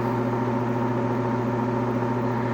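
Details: 1966 Admiral Royal 106 air conditioner, restored, fan running at a higher speed: steady droning hum with a buzzy overtone, unchanging pitch; owner alarmed by the unusual noise, probably from the fan motor.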